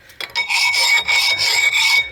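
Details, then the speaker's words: 2008 Dodge Avenger front wheel: harsh metallic rasping with a thin steady squeal in two strokes as the wheel turns, worn-out brake pads scraping the rotor, before replacing pads, rotors and wheel bearings. "Yeah, that's the noise you hear. So this is why we're replacing it. So you might want to check your brakes once in a while"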